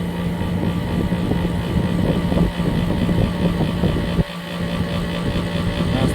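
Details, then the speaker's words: 2003 Kenmore R22 window air conditioner with hard-starting compressor, started at 15 A then drawing 10 to 10.2 A, loud steady low hum with rough rumble; compressor runs but louder than it should. "pretty loud. [Music] 10 amps right now [Music] 10.2."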